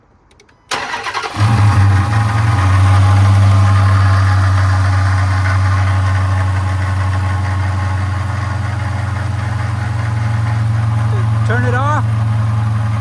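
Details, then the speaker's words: 2011 Dodge Charger R/T 5.7 V8 at startup, engine bay; catches and settles to idle with a low constant growl underneath; water pump pulley has play, worn internal bearing, pump needs replacing. Separate cooling system leak concern. "So the water pump definitely has to be replaced. And that's the source, like I said, of that noise, the growling noise. That's this bad boy here."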